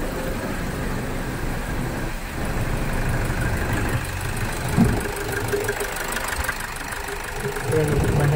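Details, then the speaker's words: Toyota Innova that cranked but wouldn't start, after injector driver coupler was reconnected: starts on the starter and settles to a steady low idle, even with no misses or knocks; normal idle. "Self పోటి బండి start అయితుందా కాదా ఎక్లీ బండ అయితే start అయిపోయింది."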